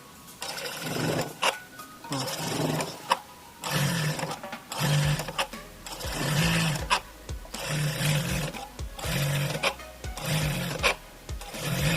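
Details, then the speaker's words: Electronic straight-stitch (reta eletrônica) industrial sewing machine: repeated motor bursts with a loud, rough clatter at each needle stop, about once a second, building from slow to very strong; needle positioner cannot find its stop point. "cliente ligou e falou que o momento que dá para de agulha né momento que para a máquina tem um barulho muito esquisito e o barulho é decrescente"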